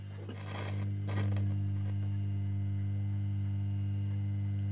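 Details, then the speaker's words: Defiant M.S.H. 450 valve radio at its first power-up, volume full, on short wave: a steady, unchanging low mains hum with no station or voice coming through. "you hear that it's just humming it says humming"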